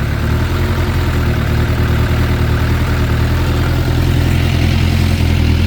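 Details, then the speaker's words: 2006 Suzuki GSX600F Katana after carb cleaning and sync, mixture screws turned half a turn out, idle raised slightly: steady even idle, no stumbles, no black smoke, carbs still synced; normal idle. "so I mean it idles perfectly in uh there no black smoke coming out um idle is stable at uh so uh I guess the car radius is still synced in um yeah perfect idle"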